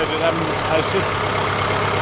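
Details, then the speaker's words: John Deere 410C backhoe diesel after a long sit through winter, battery terminals cleaned: cold start, then a low, steady, even rumble with no misses or knocks, warming up at a healthy normal idle. "all right well that makes me really happy that that fired up it's been a long time since I've started"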